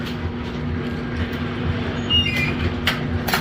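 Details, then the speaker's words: Brunswick A2 bowling pinsetter after repairing missing motor contact piece, single-phase motor running cool: steady motor hum with light irregular clatter and a few sharp clanks, no grinding; normal pinsetter start and cycle. "turn it on starts right up we'll test it a couple of times make sure it doesn't have any starting issues or other running issues so start looks good run looks"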